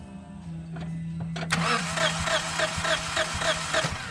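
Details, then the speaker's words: Compression test while cranking at about three and a half beats a second, no firing: cylinder 1 reads 150 psi but the gauge doesn't move on cylinder 4, so zero compression there; a head gasket leak is being checked. "yeah gauge doesn't even move so definitely a bad compression well no compression in cylinder four"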